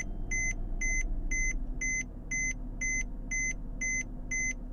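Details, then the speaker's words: 2008–2014 Mercedes C250 W204 after ESL steering lock removed and emulator fitted: starts on crank, low even engine rumble under a two-tone dash chime about twice a second; starts and idles normally. "Your car started. You saved yourself hundreds of dollars."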